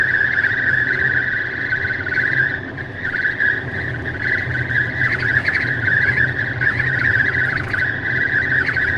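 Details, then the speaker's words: Tesla at 64–65 mph in the cabin: a steady high whistle comes and goes over road rumble, air leaking past the passenger window seal. Intermittent for about 3 months, later fixed by service. "And I'm doing 65 miles an hour, 64 miles an hour, and that whistling is happening. This has been about 3 months."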